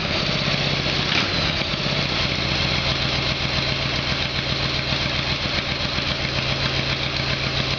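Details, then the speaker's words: Harley-Davidson Evolution Sportster after carburetor repair: cold start on choke, V-twin catches and settles into a fast lumpy cold idle, sounding much better. "Okay, so we'll go for a cold start. There should be some backfiring while it's cold. I'll use the choke and we'll see how we go."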